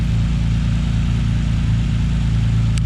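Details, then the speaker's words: Nissan 300ZX with RB26 six-cylinder swap, first run after two years sitting, likely old fuel with stabilizer: steady even low rumble with slight lope, no knocks or ticks; idling smoothly and healthy. "good to see it running again. It's good to hear it running again."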